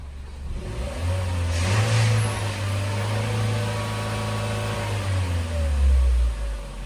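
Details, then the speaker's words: Chevrolet Trax after cylinder head work, warm engine revved after coolant bleeding; revs up smoothly, holds, drops and revs again cleanly, no knocks or misses, no check engine light; ready for road test. "Wala na siyang check engine. Maganda na siya i-rev."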